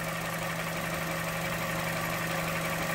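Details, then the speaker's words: Vauxhall Corsa petrol engine at idle with EML light coming and going, code P0171 system too lean bank 1: steady hum with slightly uneven, loping pulse, engine visibly shaky; rough lean idle from faulty purge control valve, fixed by replacing it. "If your car is shaky, as you can see, our engine is quite shaky from this side over here."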